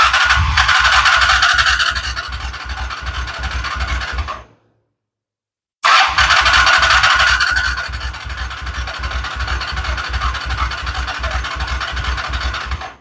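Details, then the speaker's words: Honda Shadow Spirit VT750 being cranked with the clutch in after fitting new Chinese carburettors, expected to take a while to get fuel. Steady starter churn of about 160 pulses a minute in two long bursts with no firing; the carbs are still dry. "Let's see if we can get this puppy to start out. It's probably going to take a minute to get gas to it."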